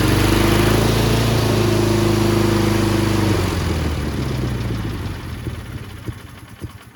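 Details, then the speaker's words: Cub Cadet 1430 first start after sitting abandoned for years: the idle surges up and down in pitch, runs rough and sags off within seconds while burning off debris. One side may be misfiring. "there she is look at that it's surging a little bit but it's burning off all the crap that was on it"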